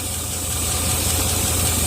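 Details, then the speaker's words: Warm Land Rover 4.0 V8 that previously wouldn't idle warm, after opening a base idle screw three turns, which lets vacuum hiss in; steady low hum with even firing and a faint hiss; smooth normal warm idle. "it's hard to hear I know but look how nice it dialing now before wouldn't even idle when it was warmed"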